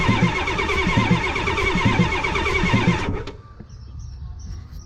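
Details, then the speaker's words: 1989 Ford F250 7.3 IDI diesel, first start attempt after fuel filter and line replacement: steady rhythmic cranking about three seconds, no firing, then stops; owner bleeding air out through Schrader valve. "we're gonna just keep leaving the air out through this here Schrader valve comes out we didn't get nowhere let's try again"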